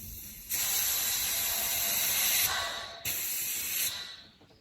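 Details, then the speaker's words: Loud steady hiss in two bursts of a few seconds each, fading as pressure drops, as an air release valve dumps air; dumps most air when set to center; owner unsure of the valve's function. "I don't know what that valve does it's it dumps some air"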